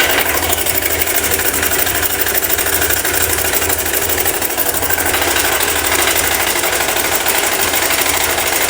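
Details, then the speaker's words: Honda Bros 150: fast, busy sewing-machine clatter over the steady running engine; cam chain rattle, the chain tensioner is found touching. "Cara, chegou essa brozinha aqui com o mesmo defeito, barulho de corrente de comando."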